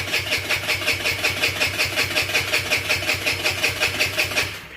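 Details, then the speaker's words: GY6 50cc scooter/mini sport bike with newly fitted carburetor, no fuel yet: steady starter whirr about 160 times a minute never catching; hard starting from unprimed carburetor, owner plans starter fluid. "says it's going to take a minute carver hasn't had any gas let off the gas i'm gonna have to get a little bit of starter fluid to get her going"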